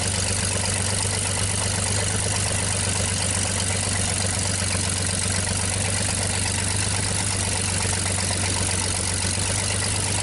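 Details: 1960 GMC 305 cubic-inch V6, first start after sitting, crushed exhaust pipe: even, steady idle rumble with a firm low beat, no misses, knocks or ticks, no smoke; healthy.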